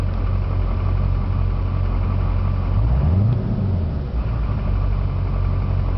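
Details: 2004 GMC Duramax diesel at idle: deep uneven loping beat, about three pulses a second, never settling, also odd idle on deceleration; rough idle, cause unknown.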